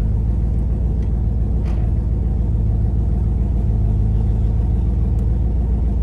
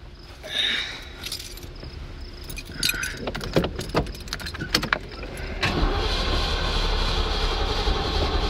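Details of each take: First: Carbureted Mustang driven home after a breakdown from a dead battery and flooded carburetor: deep heavy rumble with an uneven, lumpy beat that never settles; engine running rough under load. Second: Ford Mustang after a dead battery and flooded carburetor: keys and handling clatter, then engine catches around six seconds and holds a steady, even idle without stumbling.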